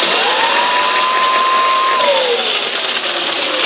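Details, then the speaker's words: Yamaha WR250E electric conversion, EBMX X-9000 V2 controller, riding in mode 1 (10 kW), about 45 mph; motor whine rises smoothly, holds, then drops off, bike wants to wheelie: normal motor acceleration. "Oh yeah, okay, we'll put it in mode 1. This is 10 kilowatts. It should be much faster now. Man, this bike wants to do like a wheelie."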